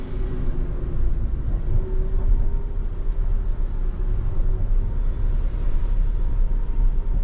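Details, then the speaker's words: Ford Transit van on a pre-purchase road test from the dealership, AC turned down to hear noises, fuel near empty: steady road drone and even engine hum, no knocks, whines or clunks. Brakes feel good and the drivetrain sounds healthy. "Brakes feel good. Everything feels good."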